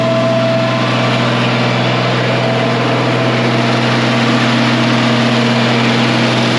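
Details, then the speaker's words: 1966 IH 1206 Wheatland standard diesel tractor on dyno after head gasket repair, breaking in; wide open throttle at partial load, warming to temp; steady deep drone, constant pitch, no knocks or misses; normal running under load. "we're just going to listen to this here in home and kind of watch gauges that's wide open partial load if you can hear down"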